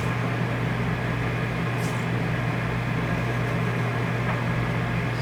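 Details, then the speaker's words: RV rooftop air conditioner running after hand-tightening the roof mounting bolts: steady low hum and even airflow hiss, no rattle; loose bolts had caused the fan vibration. "here how it got quiet again just gotta torque the bolts don't over tighten them"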